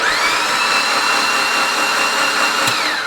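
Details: Freshly built 800whp Mitsubishi Evo X engine cranked with spark plugs out, clutch down, no fuel pressure, to prime oil pressure before first start: smooth steady high whir with no compression pulses.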